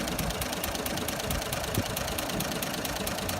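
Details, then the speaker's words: Toyota FJ45, earlier running on 3 cylinders; distributor moved back one tooth, plugs wire-brushed and cleaned: steady idle, even beat, light tick about twice a second, no missing cylinder, like a clock. Normal idle. "So pulled the plugs, done a little bit of bush mechanic, give them a wire brush, a bit of a clean up, and lo and behold, have a go at this like a new one. Okay? Like a clock. What a beauty."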